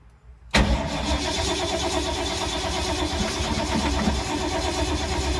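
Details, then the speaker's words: 1952 Ford, sat for months in rain and moisture, possibly flooded: steady even cranking drone starts abruptly and keeps turning over without catching; cranks, won't start, owner bets on points and condenser, not confirmed. "I bet it's the points in condenser. This thing's been sitting so long, so much rain, moisture. Wow, 5 minutes of crankage and nothing."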